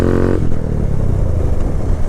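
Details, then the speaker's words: Honda Grom motorcycle at idle with clutch held in: even idle beat then sudden rough clattering clank and forward jolt; clutch seems not fully disengaging, but case, plates and springs inspected and look fine, cause not found. "you guys had any of those that clanking sound from your transmission like it's weird man just like holding in the clutch you hear it oh my god it's like it's not fully disengaging"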